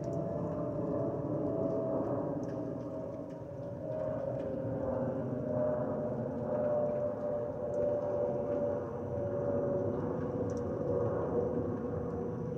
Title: Delta Airlines Airbus A319-114 N359NB DL1657 BOS-DTW (FOPP whistling sound)